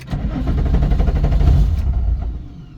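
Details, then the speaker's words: 3.6 VR6-swapped VW Mk1 Rabbit track car, hot after hard driving, cranked after a half-hour cool-down: steady cranking chugs, engine briefly catches then dies within seconds; fuel pump primes; owner suspects fuel pump or sensor. "and wants to start up but then it dies immediately yeah so I'm pretty much stranded at this point"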